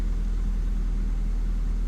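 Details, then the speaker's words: Ford Puma 1.7 first start after purchase: smooth, steady low rumble idle with even beat, no ticks, knocks or misfires; sounds pretty nice, healthy idle. "That sounds pretty nice, actually."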